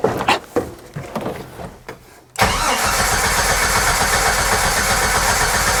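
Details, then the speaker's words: 1994 Jeep Wrangler crank no start, fuel pump not heard with ignition on: a few clicks then steady starter cranking about four pulses a second with no firing, even after starting fluid sprayed in. "So I would think spraying a little bit of starting fluid in there, I should at least get it to something, but nothing."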